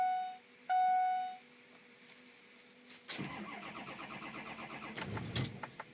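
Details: Ford 6.0 diesel truck with a tuner still installed, cold after sitting outside level for 48 hours: a chime, then a long crank before it catches into an uneven, stumbling run. Hard start with rough running; cause unclear.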